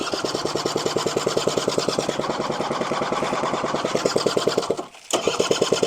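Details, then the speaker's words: Honda Vision scooter, first start after sitting, not on its own fuel system: fast steady popping racing well above idle, cutting out briefly then catching, rear wheel spun flat out; high idle because idle screw was wound fully in. "Uh, because that is an idle screw and that was wound all the way in. So you noticed when it went that back wheel went flat out for a second."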